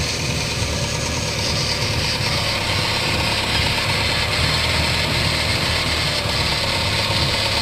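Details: Holden Barina TK driving with a steady rumbling drone and no clear rhythm under the engine note, the constant hum of a worn-out wheel bearing.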